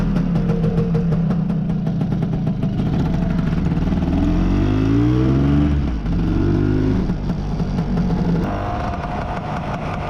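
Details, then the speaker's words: Lambretta with long-stroke RT 198 kit, PWK carb with mesh bellmouth, BGM manifold, hot after test ride: two-stroke revs rise and fall unevenly, lumpy, won't hold tickover; running rich. "it's running a little bit rich at the moment so it's refusing to maintain the tick over now it's got hot so what we'll do is uh we'll just adjust it a bit"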